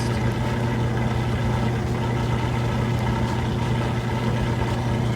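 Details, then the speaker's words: Kenmore electric washer/dryer laundry center, washer on final spin with belt and tensioner pulley drive: the tensioner pulley may kick slightly as the drum balances (normal), then a steady, even hum at near full speed, drain pump running underneath; smooth, normal spin. "So as it kind of gets started out and starts to balance and level itself, you might hear that tensioner pulley kick just a little bit, which is normal. There it goes, getting up just about full speed."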